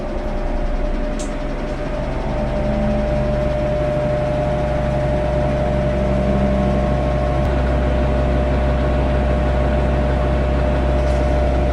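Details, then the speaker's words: Maytag Bravos top-load washer, model MVWX655DW1, in diagnostic mode on high spin, checked after complaint of violent shaking and banging that traced to worn shocks: even, steady spin hum at one pitch, no thumping or banging, tub spinning balanced and smooth. "and to me he doing really good"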